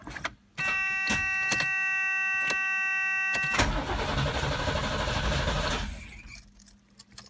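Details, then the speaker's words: DeLorean fitted with a 350 engine, fuses checked good: steady tone with light clicks, pump heard only briefly, then a rough crank that dies without firing; the relay isn't powering the pump, which works when jumpered. Owner suspects the recently fitted RPM relay. "briefly I did hear the pump go over there and I don't know why it's not coming on"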